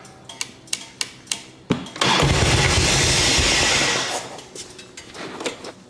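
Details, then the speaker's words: 1989 Harley-Davidson Ultra Classic Tour Glide Evo after carb clean, warming up without choke: starter clicks, engine catches and revs about two seconds, then sags and dies, unable to hold idle; runs only on choke. "God, that sounds super healthy minus the, you know, rubbing out and dying."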